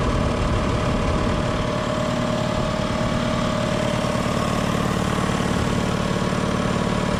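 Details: 60-gallon Black Diamond compressor with hammering factory pump replaced by Harbor Freight pump, 30-weight oil added: steady even pumping thump about two and a half beats a second with smooth drone, much quieter than old pump; running healthily.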